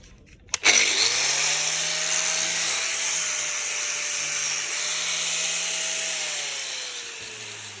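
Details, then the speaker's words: DeWalt grinder that would not start, after new brushes were fitted. It switches on sharply, spins up fast to a steady, high whine with an even hum, then coasts down, running smoothly. "Now it's all back together, new bushes in."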